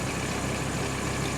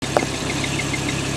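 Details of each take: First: Audi R8 V10 after repair and test drive, heard from outside: smooth steady idle with no knock or ticking, noise currently absent; earlier noise suspected from No. 1 main bearing damage and crankshaft play, possibly returning and needing overhaul. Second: Audi R8 V10, used car, hot idle: light quick chirp repeating a few times a second over the engine; crankshaft end play making the rear crank seal squeak.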